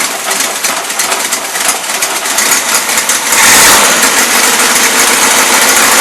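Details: 1977 Toyota Celica, Weber carburetor, first run since 1994 or 2005: rapid, uneven, sputtering beat that never settles to a clean idle; mixture screws fully in, still loading up rich; owner suspects high fuel pump pressure or cold icing.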